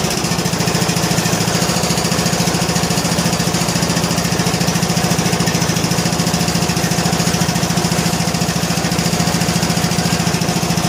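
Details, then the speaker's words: John Deere L100 lawn tractor single-cylinder, choked, on a weak battery, after adjusting loose intake and exhaust valves: a steady, even thump at about three beats a second with no ticking or misses, running smoothly. "I don't know what it sounds like on the video. But it sounds pretty good. Sounds pretty good."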